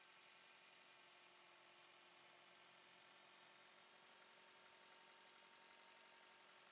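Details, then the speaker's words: Four-cylinder engine idling smoothly with an even hum and no stumbles. This is after fixing a P0301 misfire: swapping coils moved the misfire to cylinder 3, so the ignition coil was at fault, and coil 1 was replaced. "And after that I tested the car, and as you can hear, it runs smoothly again."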